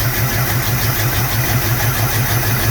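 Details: 1974 Pontiac Ventura, original engine, 83,000 showing, sitting 3 years, rebuilt Edelbrock carb, old fuel, cold start on partial choke: loud low chugging with uneven deep pulses, never a clean idle; too much choke suspected; rough running.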